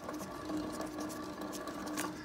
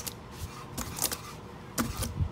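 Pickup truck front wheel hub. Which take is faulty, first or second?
first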